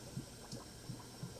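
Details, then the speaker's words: Nissan 240SX overheating, combustion leak test cylinder by cylinder: rhythmic low gurgling glugs, about three a second, as air bubbles up through the coolant at cylinder 4, confirming a blown head gasket there. "Bubbling out the coolant, cylinder 4. So we do have a blown head gasket in cylinder 4. Yeah, you can hear it bubbling in there."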